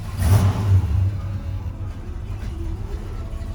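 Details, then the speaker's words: 1978 Chevrolet Bonanza C20 Camper Special, mostly original, 454 V8 with automatic, recently oil-changed: fires right up, blips, then settles into a deep, steady idle with no knocks or misses; normal start and rev. "Listen to it. It'll fire right up. It runs like a Toyota."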